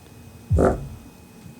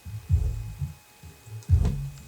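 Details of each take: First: Subwoofer playing music: each bass hit comes out as a buzzy, croaking rattle or knock instead of a clean thump; paper cone split around the edge, repaired with glue. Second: Subwoofer after repairing its split paper cone edge with glue, previously knocking when bass hit: deep bass thumps at raised volume come through clean and full with no buzz or paper rattle; sounds healthy.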